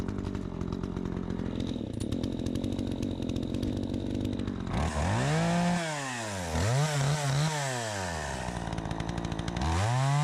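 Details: Troy-Bilt 20-inch chainsaw, bought new, started on choke after carburetor adjustment: ticking idle, then crisp quick revs climbing high, holding steady in the cut and dropping back cleanly; owner thinks a bit more RPM possible; normal running under load.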